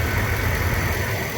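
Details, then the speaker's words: 2009 Mercedes-Benz W221 S550 4Matic after replacing the squeaking, chirping upper idler pulley: steady even low idle with no squeak or chirp from the belt side, running smoothly, normal idle. "it is running smooth thank god thank god"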